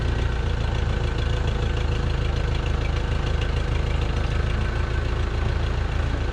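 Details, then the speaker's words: 1968 Case 580CK backhoe, rebuilt 188D diesel, hydraulic fluid low, trying transmission gears: rough, uneven clatter, not revving up properly; injectors spray-tested spraying from only one or two holes, badly need replacing. "Well, it runs not very good. I will say that it really needs injectors really badly. I did spray test them and they only spraying one or two holes."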